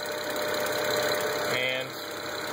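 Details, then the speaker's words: BMW N54 twin-turbo engine at idle, heard at the passenger-side turbos: light metallic clatter fading when the wastegate vacuum canister is disconnected, returning when reconnected. "You see how the noise went away when I disconnected the vacuum canister. The noise came back when I reconnected the vacuum canister."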